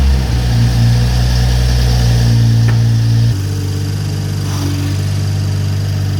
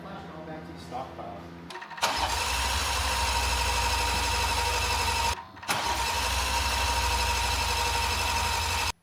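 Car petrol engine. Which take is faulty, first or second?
second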